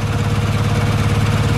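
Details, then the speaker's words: Old six-cylinder with no tires, lumpy uneven hunting idle, engine visibly bouncing; not running on all six cylinders, owner suspects possibly stuck choke, unconfirmed. "give her a bit of juice it might actually come back but this doesn't sound right to me yeah it's not right"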